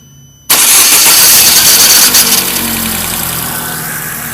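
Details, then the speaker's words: Chevrolet Prisma on starting: the engine catches with a harsh metallic "iron dragging" scrape that lingers as it settles to idle, caused by the starter motor, consistent with a dry, slow-returning starter drive. "é como vocês puderam observar é faz um barulho do tipo ferro arrastando né e esse barulho é ocasionado pelo motor de partida tá"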